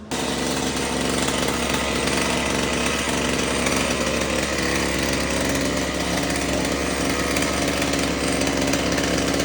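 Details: Husqvarna 225L E-Tech two-stroke string trimmer, after fixing a no-spark no-start: high, steady buzz holding even pitch without surging or cutting out; normal running.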